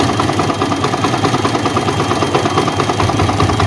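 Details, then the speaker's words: Old Yamaha Vixion idling, with the exhaust covered: rough rapid clattering knock from the cylinder block that gets worse when hot, with power loss. Piston slap. "suara pegang ada suara ketukan dari bagian blog ini misalnya sampai keras ini kalau panas tambah suaranya coba kasar ya"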